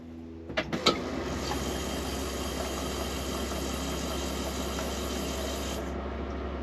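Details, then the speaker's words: Argo Avenger EFI after fuel pump and filter replacement, fuel system exposed at rear, recorded from the back: a clack, then even buzzing hum about five seconds stopping cleanly; new pump priming normally. "let's see if we can cycle the poem I'm gonna hold you back here so hopefully you can hear it all right"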